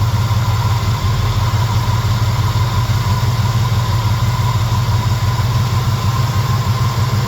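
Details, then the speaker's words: Warm small block Chevy after Holley carb swap, with over-advanced timing backed off before idle adjustment; sounds much happier, idle a tad high; deep even V8 burble at steady low idle, no misses or ticks; normal idle. "Oh, it sounds so much [Music] happier. What do you think? And a little high. Just a tad bit high."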